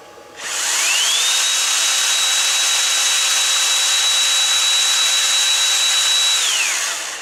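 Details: 18 V cordless power tool running from a DPS5015 programmable buck converter in place of its battery: motor whine climbs to a high steady pitch, holds for about five seconds, then winds down cleanly. Runs normally.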